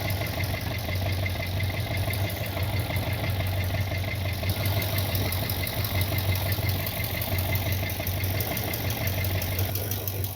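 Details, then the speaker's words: 1979 Corvette V8 idling after valve seals were replaced on two valves to cure smoking: deep, uneven knocking thumps ride under the exhaust note. It is the muffler knocking, not the bottom end. "Yeah, that muffler's knocking. That's the knocking you hear."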